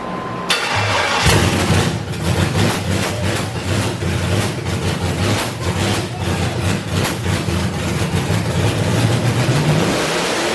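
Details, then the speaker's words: Freshly built V8 on first start with a reprogrammed stock ECU/PCM: wrong intake manifold (square port instead of cathedral port) caused a severe vacuum leak, so it surges to a high climbing rev and hangs there instead of idling. "so the engine had a severe uh vacuum leak and it decided as soon as you started the vehicle it wanted to go right up to redline which is a no bueno on a built engine"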